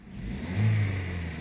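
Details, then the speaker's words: Vauxhall Astra 1.4 16v X14XE petrol with LPG conversion, running on petrol: one quick clean rev with instant pedal response and no hesitation. The misfire is blamed on the laggy LPG conversion, not the coil pack. Healthy throttle response. "oh it's definitely the rpg conversion struggling because now when i press the pedal is instant yeah no hesitation and it's not even lagging start straight away"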